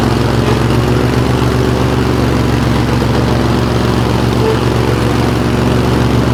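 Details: 20 HP Craftsman riding tractor that lacked power and stalled under load: loud, lumpy idle with an uneven beat near four a second, a cylinder dropping out now and then; misfire, with a spark problem suspected and a possible loose valve or compression problem.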